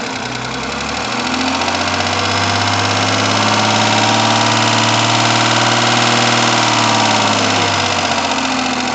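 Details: Rover 75 with 20K4F engine idling with a hard, steady knock at about 4 per second. Two metal debris pieces were found in cylinder 5, one trapped between a valve and its seat, left from an earlier camshaft job. Two valves replaced, seats restored.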